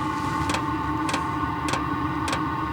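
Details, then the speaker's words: ZHIBANG Chinese diesel heater, 27,000 BTU forced dry air, at full output: steady fan hum with crisp fuel pump tick about every 0.6 seconds, even and regular; running normally, needs full battery. "getting into ludicrous speed here"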